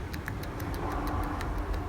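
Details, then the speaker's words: 2012 Toyota Passo KGC30 electric steering rack off the car: light, even ticking about six times a second as the shaft is worked, from play in a worn rack bushing; fix is a replacement bushing. "You see that little tiny play on the side of that part? That one can cause an amplified irritating noise."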